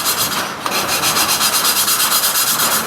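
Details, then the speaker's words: Valve lapping on a VW Type 4 air-cooled engine head (1972 Porsche 914 rebuild), coarse compound, valve turned back and forth by hand plunger: gritty rasping, about three strokes a second, still cutting before seating; sound smooths out once seated. "can almost hear the sound change when it gets a seat yeah i heard that smooths out"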